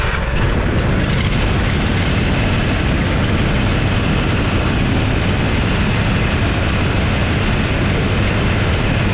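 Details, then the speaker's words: Toro Z587L zero-turn mower that overheated because its cooling fan didn't come on, traced to a failed wire, after the repair, recorded from underneath: a steady, deep engine roar with an even airy fan rush, no misses, normal running. "yeah she's working it's all it was it was a failed wire"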